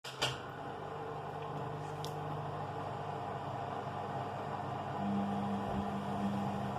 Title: you can hear the strange noise during washing